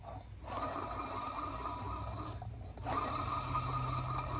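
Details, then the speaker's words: Tractor alternator, removed and turned by hand; rough, gritty rumble with uneven ratcheting texture, a worn alternator bearing; charging had been unreliable from incorrect one-wire excitation wiring. "You can even hear that bearing in there. Doesn't sound good."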